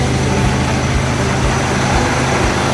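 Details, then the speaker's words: Hyundai Santa Fe diesel, automatic in P, codes P0098 (intake air temperature sensor 2 circuit high) and U1111: flat steady drone with soft pulse about twice a second, revs capped at 3000 rpm; ECU communication fault, limp mode. "ternyata betul yang diinfokan kemarin dia ngelimit di angka 3000 terakhir di 3000 nggak bisa lebih"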